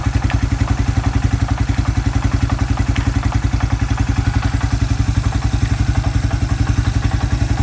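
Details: Suzuki Quad Runner 250 single-cylinder idling under restoration, exhaust refitted back to spec and crank seal replaced with a TC oil seal: steady thump with a crisp, regular exhaust beat, no knocking or rattling; normal idle.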